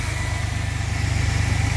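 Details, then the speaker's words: 2000 GMC Safari V6 van, 138,000 km and 23 years old, idling cold after a TPS replacement with fresh synthetic oil. A steady, even low thrum with good oil pressure and no knocks or misses; the engine sounds healthy. "Lots of oil pressure. Just changed it last week with synthetic. That's a good sounding motor for a 23-year-old van."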